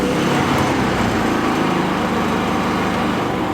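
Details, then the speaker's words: Electric-start inverter generator, running: even, steady, quiet drone at constant level, no surging or knocking, easy to talk over; normal running. "listen to how nice and quiet that is I can talk naturally normally over top of that so much quieter"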